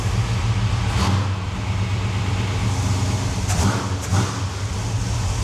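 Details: 1972 Chevelle big-block V8 idling just after starting with a newly installed mini torque starter; steady even low rumble, no misses, knocks or starter grind, running healthy.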